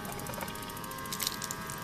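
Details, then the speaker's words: Coleman Hot Water On Demand propane water heater, its small 6 V battery pump dropped in a bucket, outdoors in the cold with the water at about 56.5°F. Quick, even clicking over a steady electric hum as the output heats to about 103. Normal pump running. "pump going we've uh we just turned on see where we're at all right"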